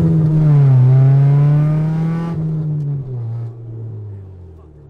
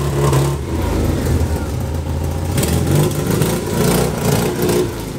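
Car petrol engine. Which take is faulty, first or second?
second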